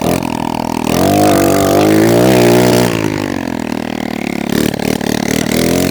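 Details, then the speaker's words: Kawasaki KLX110 pit bike on its first start after repair, exhaust not fitted and possibly no oil in it: loud, raw crackling bark from the open port, rising sharply on each rev and dropping back. "we'll see if it actually starts oh my God I forgot to put the exhaust on just started dude"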